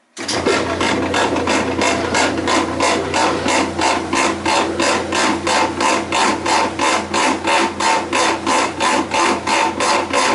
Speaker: this is my Kenmore 90 series washer it's been making a horrendous noise on the spin which I believe is problem with the transmission